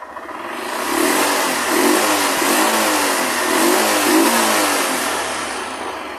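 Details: 2008 Honda Fan 125 that misfired on acceleration and drained the battery, after replacing the burnt voltage regulator: revving rises and falls smoothly through several blips without misfires or rattles; charging now works.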